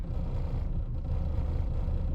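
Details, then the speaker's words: 1999 Lexus RX 300, about 310,000 miles, in drive with AC on: lumpy low rumble with loping stumble in firing rhythm; AutoZone scan showed cylinder 6 misfire, owner says ignition coil is bad; check engine light solid. "the ignition coil is bad so the engine is not firing correctly in one cylinder actually it's been cylinder six because i just went to auto zone and they checked it for me"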